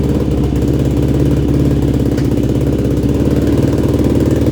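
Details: Yamaha YFZ450 single after rebuild with new carburetor jetting (main, pilot, leak, starter jets) and rebuilt carb mid body, now dialed in: steady, even thumping idle with crisp regular firing and no stumble; runs clean and healthy.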